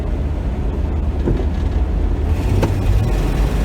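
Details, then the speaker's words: 1966 Dodge Dart GT, Slant Six 225 automatic, floored in third with kickdown linkage adjusted about two or three threads. Steady low drone under hard throttle, with a brief change as it kicks down to second and pulls cleanly. Normal kickdown shift. "it's supposed to knock down in the second gear and that gives you that extra gear boost"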